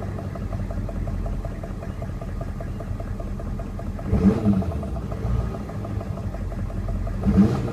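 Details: 1994 Chevy Silverado C1500, 6.5 turbo diesel, recorded where the noise is heard best: rough idle with a dull knock and a couple of louder surges; knock source unknown.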